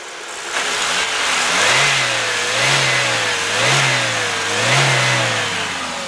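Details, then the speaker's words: 1998 Chevrolet Cavalier sedan with new battery: four smooth rev blips rise and fall cleanly from idle, no tapping or knocking; engine sounds healthy and quiet. "Now again, you don't need to be a mechanic to know that that sounds good. There's no taps, no knocks, no, you know, just bad, ugly sounds."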